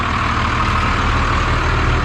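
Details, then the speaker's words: 1991 Freightliner FL70 tow truck, believed 5.9 12-valve Cummins diesel, sat about 15–20 years; now cranks with the solenoid on the key: deep steady diesel rumble, even beat, no knocks or misses; normal idle. "and now it cranks with the solenoid on the key"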